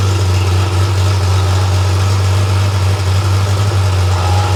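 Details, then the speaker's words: Freshly rebuilt Porsche 911 air-cooled 3.0SC flat-six built to 3.2 short-stroke specs, warm on a test stand: deep, even idle around 950 rpm, steady low thrum, no knocks or stumbles, after slightly rich warm-up; loose muffler baffle may resonate; normal. "And then as the engine warms up, um you'll see the idle RPM should increase to around the mid 900s."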